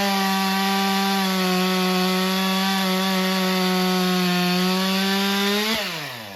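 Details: Stihl MS462 chainsaw after service and calibration, quick test cut: holds a steady high pitch under load through the cut, then revs rise briefly and drop away; clean cutting, though chain afterwards looked dry of oil.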